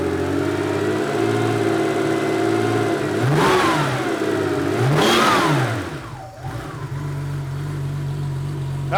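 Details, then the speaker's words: 1987 Porsche 911 Carrera 3.2L engine on a test stand, after sitting, now running much better: a steady idle, then two clean, smooth revs to about 2,000 rpm fall back without stumbling; normal revving. "and the engine's running so much better [Music] yeah just watch the RPM go up two thousand"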